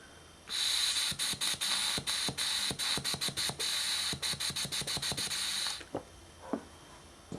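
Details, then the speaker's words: Mazda B2000/B2200/B2600 vacuum solenoid on the bench, energized from the battery and clicked. Air blown through the side port passes out the bottom in short hissing puffs, about three a second, so the solenoid switches properly. "now when we blow through the solenoid since the soon light is on we should be able to blow air through the side and feel it coming out of the bottom"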